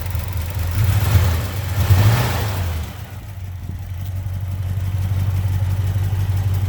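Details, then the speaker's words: 1971 Chevy C10, worn 307 small-block V8 with a 4-speed, stretched timing chain, poor compression, a vacuum leak from worn carburetor throttle shaft bushings, and a wandering timing setting: a deep, lumpy, stumbling idle with a loud raw exhaust blat; a rough misfiring idle. "let's go ahead and start it up you can hear uh the kind of catastrophe of this small block"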